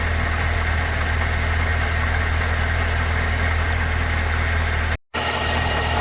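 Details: 2012 Cadillac CTS-V at idle: a steady idle with a light, fairly quick tick of about four per second over the engine note; ticking/knocking at idle, cause unknown.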